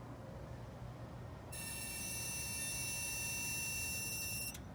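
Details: 2016 Dodge Challenger parked in garage after a drive, engine off: thin high electronic whine switches on about three seconds then cuts off; key fob also failed to lock until door reopened; cause unclear, owner suspects key fob battery.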